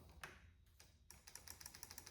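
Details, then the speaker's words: 2005 Kawasaki Ninja 500 with the starter fuse replaced; rapid ticking clicks on the starter button with no cranking; fuse and fuse power ruled out, power lost between fuse and starter; starter clicks, engine won't crank. "still clicking. Okay. So it's not a fuse issue. It's not a fuse issue and it's not a power to the fuse issue."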